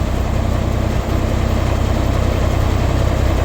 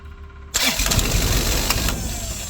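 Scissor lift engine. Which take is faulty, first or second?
second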